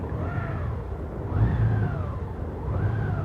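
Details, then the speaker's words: 2021 Honda Gold Wing Tour idling erratically on premium fuel with 30% ethanol, surging and sagging about every 1.5 seconds; fixed by siphoning out and refilling with non-ethanol fuel. "That's idling when you use jump start premium fuel."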